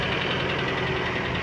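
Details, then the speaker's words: 1992 Toyota Pickup 2.4L 22R-E, 5-speed, crash-damaged, intake boot ripped at the throttle body; steady idle with faint, even knock under the engine note; light typical 22R knock at idle, cause unknown, no smoke or fluid transfers. "little bit of the typical 22 knock that you hear, but I mean, I've never heard one that didn't make that sound."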